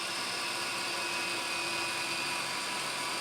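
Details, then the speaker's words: Sharp VC-MH75HM VHS player/VCR, newly acquired, in high-speed rewind after starting slowly: a constant high-pitched whir with steady tones and no scraping or squeal, about as loud as the owner's Sony. Normal high-speed rewind. "Yeah, they literally just chew through these tapes in terms of, you know, the speed of rewind."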